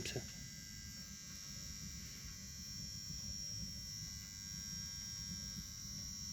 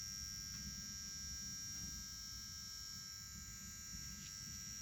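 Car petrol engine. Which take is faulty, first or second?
first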